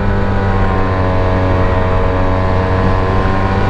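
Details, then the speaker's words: 2009 Yamaha TMax scooter on a test ride: engine drones loud and steady at high revs without gaining speed climbing a hill; owner suspects drive belt slipping, not confirmed. "I believe that the belt is slipping or something's happening oh my God look at this thing it just does not want to climb up hopefully we'll make it"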